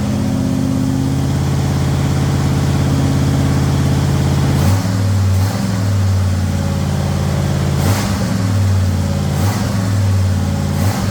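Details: Ford Thunderbird Town Landau after a swap to a 460 V8 with custom motor mounts and a C6 transmission; a deep steady burble at idle with clean throttle blips, no tapping or knocking, and good oil pressure. The engine sounds healthy.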